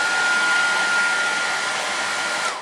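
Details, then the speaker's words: Maestro MR202 1,800 W hair dryer on highest power after cleaning burnt thermal switch contacts, which were making it shut off after a few minutes: steady airy rush with a faint constant whine, no cut-out over 5 minutes, then a clean switch-off. Normal running. "5 minutes have passed and the hair dryer hasn't turned off."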